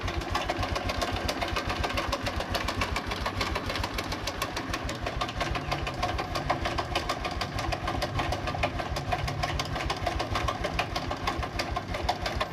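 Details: Honda Revo Absolute, previously opened, at idle before repair: fast metallic ticking and clatter over the small single's steady idle; cam chain rattle plus piston knock, attributed to slack cam chain and worn piston.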